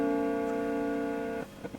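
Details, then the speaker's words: Mesa Subway Rocket guitar amp whose sound fades after being on a while. A held note rings, then cuts abruptly to near silence. Just touching the effects return jack makes the signal come and go, pointing to an intermittent effects return jack. "oh yes that's gone now it's this Jack it's this return Jack I [Music] think just touching that has made it come and go"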